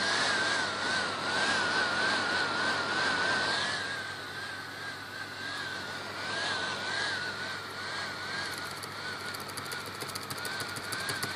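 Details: HP 455 laptop that won't start, Esc key unresponsive: thin whirr wavering up and down instead of holding steady, erratic fan/HDD sound; motherboard failed, later replaced under warranty, fixing it.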